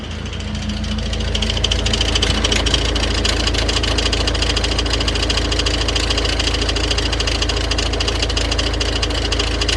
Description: This is a characteristic noise of the crankshaft pulley with its damper damaged, which causes its two parts to hit each other, although it is not visible to the naked eye, and what is seen is the auxiliary belt tensioner moving excessively.